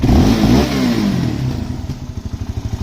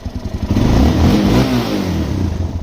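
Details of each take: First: Suzuki LTZ400 quad after swapping OEM carburetor for a cheap Chinese carb with jets changed, in rain, ridden after starting with a little choke: revs drop into an uneven chuffing idle with a few pops on let-off, possibly lean; otherwise running pretty good. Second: Suzuki LTZ400 single with a Chinese replacement carburetor, fuel screw set a half turn out and idle lowered: it blips up smoothly and settles to a steady idle with no popping on the overrun. Fuelling is correct.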